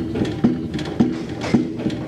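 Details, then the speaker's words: Trailer wheel rocked by hand after sitting unused for a while: a sharp metallic clunk about twice a second with each push, the wheel moving visibly; the bearing is excessively loose and needs changing. "y'all see that wheel moving uh in simple words that's not good for this one this one's so loose for me this is going to be a bearing change"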